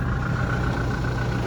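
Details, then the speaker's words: 2017 Toyota Hilux 2.4 D4-D diesel with 6-speed manual idling, heard with the bonnet open; low, even, smooth idle with no knocks or misses, healthy. "And then obviously opens up under the bonnet. You can hear it ticking over nicely."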